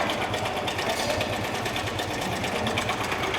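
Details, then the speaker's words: Hero Splendor iSmart 110 semi-vertical engine that had already been rebuilt, running 15–20 km afterward: fast, uneven metallic chatter over the single, with white smoke; teardown found a faulty timing chain. "मैंने check किया इसमें जो sound का problem थी वो है इसमें time इ चन का सोल्यूशन टाइम इंग चन का फॉल्ट था"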